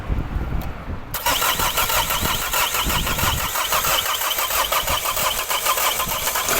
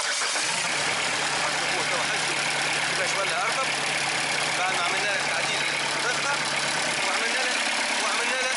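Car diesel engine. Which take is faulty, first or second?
first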